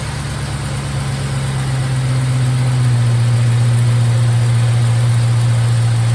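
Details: 1951 Hudson with a swapped LS 5.3 V8 on its first start on an eBay harness, VATS disabled in the PCM: a deep, steady, even idle that settles smoothly after the rev drops, with no misses or knocks, charging at 14.3 V. Normal idle.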